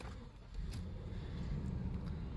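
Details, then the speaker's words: Nissan Cima Y33 V8, stock, warm idle after driving: low, even burble with no misses or knocks. Slightly raspy; owner unsure whether a small exhaust leak is present. Smooth, healthy idle. "It's a very smooth engine, I'll give it that. And yes, I've been driving around, it's warm, it's not dead cold or anything."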